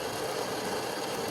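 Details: Saeco espresso machine after repair: grinder replaced and brew group also replaced because it was not properly grinding coffee; test shows steady, even whir with light ratcheting, no catching or labouring, grinding normally.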